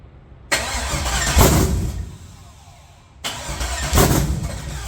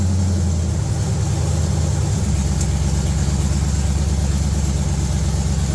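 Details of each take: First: LS 5.7 V8 in a G-body El Camino on a budget Amazon Gen 3 harness: two bursts of steady cranking, the engine never catches; crank no start because the injector ground on the back of the engine was never connected. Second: Budget G-body El Camino with a Gen 3 LS engine on a $90 Amazon standalone wiring harness, after earlier failed attempts to run it reliably and throttle-body tweaking: steady, even low V8 rumble, no longer searching for idle, no surging; normal idle.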